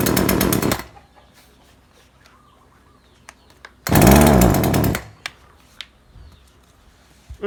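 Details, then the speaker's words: Neighbor's chainsaw that loses power after running a while, tuned elsewhere without success: fires and runs briefly, cuts out, then a second short burst that never climbs in revs; bogs as if fuel were too rich. "มีอาการเร่งไม่ขึ้นจริงด้วยครับคนจะเร่งไม่ขึ้นมันเหมือนมันเหมือนน้ำมันหนาครับ"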